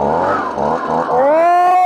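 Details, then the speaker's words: Husqvarna 125B two-stroke leaf blower after fuel filter replacement during a tune-up: engine catches and climbs to a clean, steady high-pitched buzz with no stumbling; running healthy. "yeah. Yes, sir. Beautiful. She's running."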